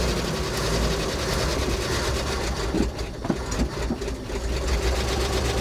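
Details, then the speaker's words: 1980 Dodge W200 3/4-ton pickup, 318 V8, four-speed manual, abandoned 22 years: first start, steady busy idle with fast light valvetrain clatter, proving spark. "idling all right well we know she's got spark"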